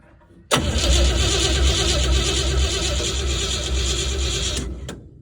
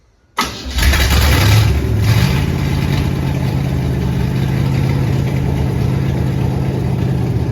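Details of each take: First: Crosley hot rod stored about 20 years, fresh battery fitted, cranking for the first time; steady starter churn with even pulse about three beats a second for four seconds, never catches, cranks without starting. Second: Crosley hot rod's first start in 20 years: after a no-spark attempt it cranks briefly, catches and settles into a steady, even idle with no knocks or misses. It runs great, but the loose fan belt slips because the water pump is locked up.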